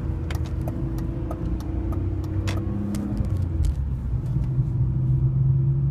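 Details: 2002 BMW E46 325i M54B25, cold engine idling after clutch engaged: uneven drone with revs hunting, sometimes 500–1500 RPM; owner suspects camshaft position sensors, DISA valve or VANOS; intake boot checked, no cracks. Not confirmed.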